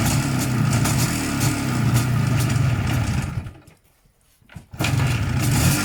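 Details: 1987 Izh Jupiter 5 transitional twin-cylinder two-stroke idling with a rattly metallic clatter and ringing, three to four knocks a second, dipping near stall; owner suspects pistons, wrist pin or crankshaft, plus noisy primary chain.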